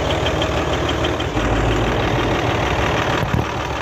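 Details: Hino Euro J08C six-cylinder truck diesel idling with a steady low knock over the clatter, coming from the air compressor side; the noise lessens when a hand is placed on it. Air compressor connecting rod knock.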